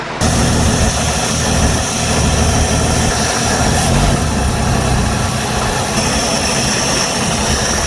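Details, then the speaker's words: Jeep CJ7 4.2L with new MaXpeedingRods replacement carburetor replacing a Weber, just started cold: steady, even idle with smooth low rumble, no misses, knocks or hunting; owner says never ran this good, strong response; normal idle. "wow that's never run that good and i'm not lying holy cow i'm talking rattle response even when it's cold the thing never had that type of response"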